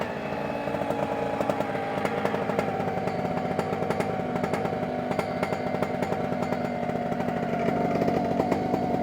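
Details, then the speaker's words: New OpenPPG SP140 V2.0 paramotor two-stroke on its first crank for break-in, checking the throttle taps back to idle on release: steady, even buzz at a settled idle with no misses; runs healthy. "I'm just making sure that I hear that thing tapping when I let go of it the thr the idle I'm just looking in there I hear it tapping when I release it"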